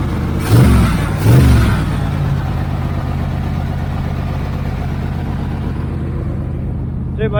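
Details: 1980 Z28 V8 just started on a new knock-off Holley 4-barrel carburetor, no brakes, carb not leaking: two quick throttle blips, then a steady but noticeably fast idle. The idle is set too high and needs turning down.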